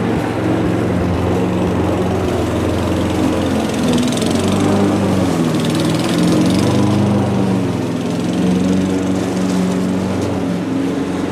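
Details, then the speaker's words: Old Mountfield lawnmower revived, cutting grass: a slightly uneven, slowish beat that sounds bogged down, not throwing grass into the chute; low engine speed under load, revs suspected low, not yet checked with a rev counter. "RPM turning up a bit, it's not throwing the grass back into the chute. It sounds like the revs are a bit low."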